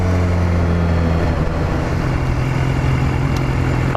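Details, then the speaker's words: BMW S1000RR riding at about 3,000 rpm and 40 km/h: steady engine drone, brief dip on the upshift, then clean pull with no clunk; smooth shift here, though low-rev first-to-second shifts clunk. "If I do it now, actually that was really smooth. I'll give it that."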